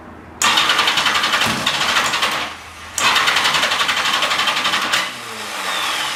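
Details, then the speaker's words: Yamaha XJ650 motorcycle, suspected sticky valve, after about 30–40 ml transmission fluid put in the cylinders: two long even cranking bursts that never fire; no ignition because the spark plugs are fouled, plugs to be removed, cleaned and dried. "will not get an ignition we plug the cowling up so I'm taking them out and clean the plugs make sure they're dry"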